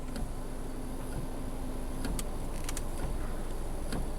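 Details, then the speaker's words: 2006 Subaru Outback rear wiper, stuck after an ice storm, recovered its dead spot by running back and forth with no parts: steady low motor whir with light sweep, no clicking, grinding or stalling. Normal rear wiper operation. "wiper now seems to have recovered that dead spot just by the wiper going back and forth. I think it cleared itself up."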